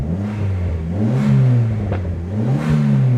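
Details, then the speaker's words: Petrol engine on a salvage-auction car with 104 (thousand) miles, after first start from storage: revs rise and fall back slowly in repeated blips, hanging before idle; owner suspects the throttle position sensor, otherwise sounds healthy. "hanging up in the RPMs probably a TP the auto positioning sensor but other than that"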